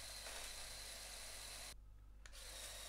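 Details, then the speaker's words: CaDA C61081W crane truck toy, winch pulling rope with motor: small motor whirs steadily with irregular light clicking about four times a second; something skipping in the gears, cause suspected, not confirmed. "a wciąganie liny nawet silnikiem trwa wieki tam cały czas słychać że Coś przeskakuje w tych"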